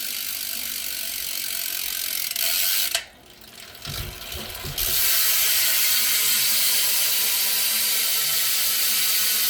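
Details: S&M Credence BMX freestyle bike with race bearings in the hubs, wheel spun by hand: fast, even ratchet clicking as it coasts freely with almost no friction; a healthy freewheel pawl.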